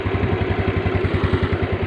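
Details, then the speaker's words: Small single-cylinder motorcycle started on a dead spark plug repaired with an emergency trick: quick, even thump-thump idle with no skips or stumbles; firing cleanly and running smoothly. "Dengeran, Mas Bro. Mesinnya udah hidup."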